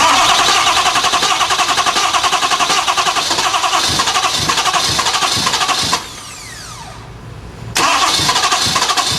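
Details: Ford F250 with 6.7 turbo diesel, no-start condition: fast even cranking, nearly four beats a second, stops, then cranks again without ever catching; turns over but won't fire.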